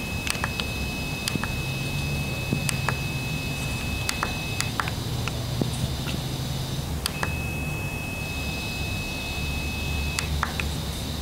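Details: S3221QS monitor speakers: a thin high tone holds for several seconds, cuts out and returns, with scattered clicks; coil whine suspected.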